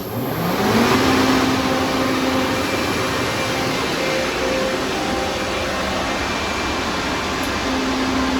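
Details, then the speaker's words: Used Hydrovane VSD air compressor, 10.5 to 25 hp variable speed, test run on a roughly 30 kVA transformer: loud steady whirr at constant high pitch with faint tone on top, running at top speed, 25 hp; full-speed running. "and then top speed you can hear the difference this is all uh 25"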